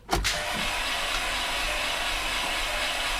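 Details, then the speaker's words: VW Passat 2.0T FSI interference engine, after timing belt replacement, ether sprayed, jump pack on weak battery: fast, even starter whir with no compression pulses, never catches; no compression, likely bent valves from broken timing belt. "it sounds like there's no compression so I really don't expect it to start"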